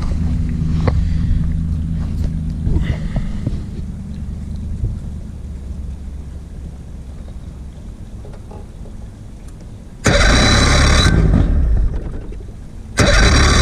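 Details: 50hp Mercury outboard on a 2008 Tracker boat, after a water pump change with new BPZ8HN10 plugs, running on water while timing is set: fires and settles into an even, low burble with a couple of hissing bursts. Normal running.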